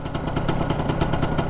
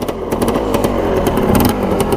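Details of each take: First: Arctic Cat 250 4x4 with stock pipe and baffle, carb not yet cleaned: fast burbling idle with low popping rhythm, slightly uneven and smoky; owner thinks it may be running a tad rich. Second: 1985 Yamaha Tri-Z 250 two-stroke with original jets: started on first kick, crisp even popping at fast idle, no misses or knocks, slightly smoky.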